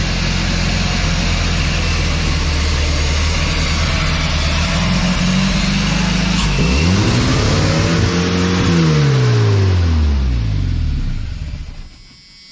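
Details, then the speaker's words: 1991 Chevy S10 pickup that sat in a junkyard over a decade: engine runs away to a loud, high, steady roar at stuck full throttle with no rev limiter, then the pitch swoops down and back. A catch in the throttle cable or linkage is suspected. "step well you got full throttle it doesn't have a REV lier on gu what is the deal"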